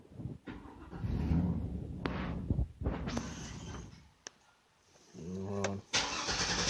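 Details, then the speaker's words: 2002 Chevy Avalanche 2500 with a bad fuel pump, pedal held: runs in ragged surges, drops almost to nothing, picks up again, won't hold throttle; injector pulse rising toward stall, O2 sensors moving, stuck in open loop. Fuel starvation. "injector pulse would start go up and start to stall what the man what's going on here my oxygen sensors are moving because it's still stuck in an open loop"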